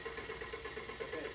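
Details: No-start diagnosis: engine cranks steadily at about eight beats a second and never catches while a test light on the coil negative control wire checks for switching; no spark, attributed to a failed ignition module.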